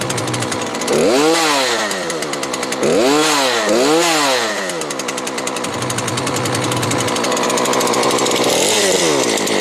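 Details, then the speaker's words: Weed Eater small two-stroke trimmer after fixing bogging and no idle snaps cleanly through throttle blips, holds a steady high rev, then shuts off. It was fixed with a new spark plug, spark arrestor removed, carburetor tuned, and air filter cleaned. "Works awesome now. In total, everything I did to this was change the spark plug, take out the spark arrestor, and then tune the carburetor a little bit."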